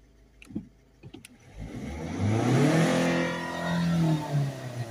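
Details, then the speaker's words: Volvo C30 1.6 HDi diesel, stationary, after clearing codes (DPF blockage codes 2A40/2A30, glow plug relay code remaining): idles then revs cleanly up and down without hesitation or limiting; full revs available. "we've got full revenue and uh the thing is with some cars is even when they don't have an engine light on some cars are limited to 3000 when you're when the car is stationary anyway"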